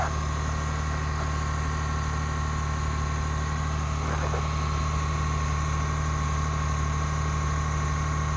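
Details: 2021 Ford F-150 PowerBoost cold remote start at about minus 20, November 9, 2022; deep churning low drone with faint steady whine, described as cavitating/grinding noise; cause not confirmed.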